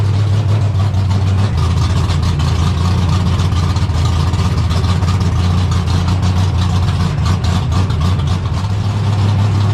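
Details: 1972 AMC Javelin race car V8, motor not run in almost 30 years, just started: deep, loud, lumpy idle, steady and even, heavy low rumble, no knocks or misses. Normal idle.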